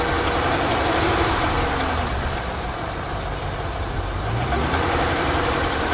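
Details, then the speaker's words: Chevy SS LS3 V8 at idle and revving: light fast ticking three to four per second, apparently from a rear cylinder on one side; owner suspects a lifter issue, plans to pull coils and valve covers. "seems like it's coming from back here on this uh cylinder over here and like I said I I think it's it's a lifter issue"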